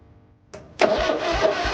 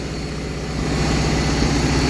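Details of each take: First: 1980 John Deere 317 tractor after charging battery and replacing and adjusting points and condenser: slow labored cranking about three strokes a second that never catches, no spark at the points; crank, no start (no spark). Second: 1980 John Deere 317 tractor, reportedly bad valve guides and heavy oil burning, revived: steady even low idle with smooth regular beat, no knocks or rattles, only a little oil smoke, driveshaft and U-joints running true; normal idle.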